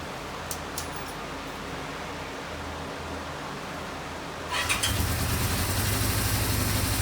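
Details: 1974 Honda CB550 four-cylinder after carburetor synchronization, with timing, cam chain and valves already set: a steady, even idle, then a clean, crisp rev with no stumble; the idle is now adjustable and the carbs are in sync.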